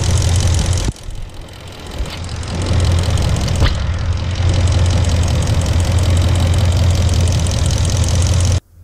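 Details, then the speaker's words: 1996 Dodge Ram 1500 5.2L Magnum V8, code P1391, warm engine: revs stumble and surge roughly around 1600–1700 rpm, idling fine, clicking is injectors; misfire from faulty cam/crank position sensor, fixed by fitting a different-brand quality sensor. "Mais dès que le moteur atteint la température de fonctionnement commence à courir vraiment rugueux à environ 1600 tours par minute. D'ailleurs le clic le bruit sont juste les injecteurs."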